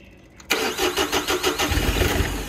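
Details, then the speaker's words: Caterpillar 301.8 excavator diesel with a replaced self-priming 12 V electric lift pump, which keeps running while cranking; quick cranking beats, then a few ragged firings that stumble and die. Cranks and briefly fires. "that tried to run and you still hear the pump pumping"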